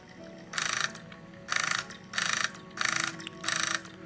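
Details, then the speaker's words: 3DO console disc drive after unseizing the sled motor and greasing tracks: short whirring bursts about every second as the laser sled cycles back and forth, still slightly noisy but running and reading the disc. "That's what I wanted it to do, to just cycle back and forth. So now let's see how noisy it is."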